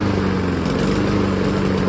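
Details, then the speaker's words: Honda lawn mower: uneven wavering, stumbling low putter at idle; air filter clean, plug a year old; fixed by changing spark plug (13/16 socket). "All right, we have an inconsistent idle. All right, so we have an inconsistent idle. It was fine the last time I mowed."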